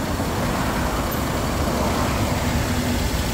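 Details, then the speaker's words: Perodua Alza that overheated on the road, after a roadside repair of a leak: engine just started, steady even idle with no knocks or squeals, waiting for the radiator fan to spin before driving; runs normally. "Sekarang kita nak start enjin kereta. Okey. Enjin dah start."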